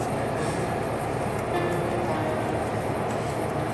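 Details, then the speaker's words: 2023 Midea U-shaped window AC showing error EH03; compressor kicks on with a steady hum but no airflow, fan motor dead. "compressor's kicking on, trying to get the air out. There is no air coming out because I can't feel it from where I'm at."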